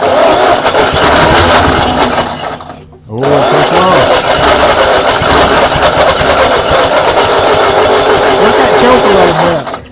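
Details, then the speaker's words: 1939 Ford tractor, sat in a field 20+ years, first start attempt in decades with lots of fuel poured in: long cranking with ragged bursts of firing that catch and die, never idling; possibly too much gas. "it's probably got too much gas in there because I poured so much in so it's gonna have to turn over a little while before"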